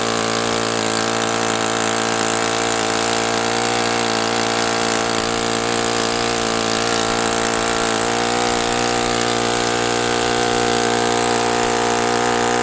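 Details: OS FS60 open-rocker glow four-stroke on a test stand, first run after years in storage, needle at one and a half turns; high buzzy note that never settles smoothly. A loose rocker-arm nut may be throwing the valve adjustment out and leaving excess valve clearance.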